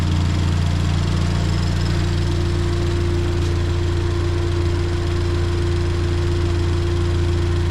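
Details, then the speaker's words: Ford Fiesta ST at idle just after fitting new NGK spark plugs at stock gap: smooth, constant hum with a clean steady tone, no skips or stumbles; fires evenly on all cylinders, no misfire. "How do you know if it misfires? You'll hear it. Oh. Yep. She is sounding good."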